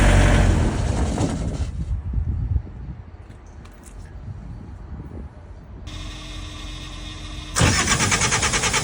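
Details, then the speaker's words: Trailer reefer unit diesel that quit, filters about 1,000 hours old, ether sprayed to start; cranks, fires briefly, drops near silent, cranks again, won't stay running, seemingly no fuel pressure at pump; hard start, engine dies after starting. "I heard it kind of sputtering and trying to start, but what it will do is it would start and right away it would die. So it sounded like it wasn't making any fuel pressure like at the pump."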